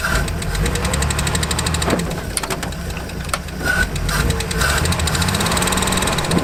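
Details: Land Rover Series 1 six, sat unused for years, first run after revival; rough, uneven running with scattered clatter over a low rumble, but keeps going steadily.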